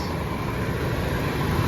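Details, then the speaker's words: Nissan B14 with 1.4 engine after ECCS downgrade project, back running: low, steady, even hum with no knocks, misses or rattles; very quiet, smooth normal idle. "So ayun, she's back and running. Purrs like a kitten."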